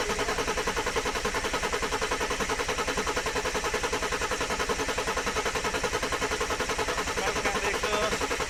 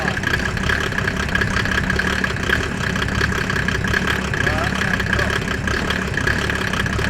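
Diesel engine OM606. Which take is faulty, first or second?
first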